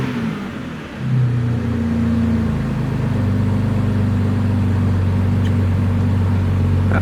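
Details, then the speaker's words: Car on a cold day shortly after a cold start, no new coolant leak seen: engine climbs cleanly from idle into a smooth rev and holds it, pulling evenly with no misses or knocks; sounds healthy. "But anyways, let's get a little rev bomb going."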